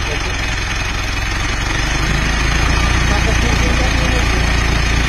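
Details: Mitsubishi Montero diesel idling with a light, fast metallic chirping tick over the steady clatter and shaking; traced to unsuitable engine oil, and an oil change alone restored normal running and stopped the shaking.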